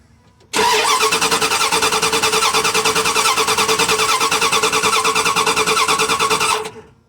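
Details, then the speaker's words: Dodge Ram 1500 5.2L that died while driving: the starter cranks steadily at about three beats a second for six seconds and the engine never catches. The owner first thought it sounded like no spark, but a tester then showed spark. Crank, no start. "ya trate de abrir la llave y le di suena como si no hubiera chispa así que en mi experiencia suena como si no hubiera chispa"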